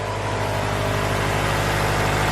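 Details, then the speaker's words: Honda B16A engine just after fitting a fresh set of fuel injectors and raising fuel pressure; smooth, steady idle with even hum and no misses, knocks or ticks; now running where it should. "success everyone success she's running i crank the fuel pressure up so now it's running where it should be"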